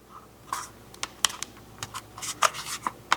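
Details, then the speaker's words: Used Asus ROG Ally X handheld with cracks in its plastic shell from previous opening; sharp creaks and squeaks as the casing is pressed and flexed. "And from me opening it, you can hear that it squeaks."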